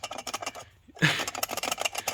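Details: Worn clutch release bearing from a car being rebuilt, spun by hand, gives a dry, gritty rattle of uneven clicks instead of a smooth whir; flywheel shows heat spots.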